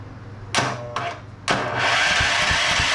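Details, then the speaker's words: TrailMaster Mini XRX go-kart with freed-up clutch and chains, starter run from a charger on 2 amp setting with choke up: sluggish drawn-out cranking bursts, then engine catches and runs; slow cranking from weak power supply, not a bad starter. "that is because this thing is on 2 amp and on 2 amp it's you know it's not as strong as a battery but need you start right up"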